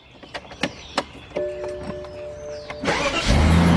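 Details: BMW 745i first start after starter replacement and an oil top-up: a few clicks and a brief crank, then it catches promptly and settles to a steady idle. Normal start.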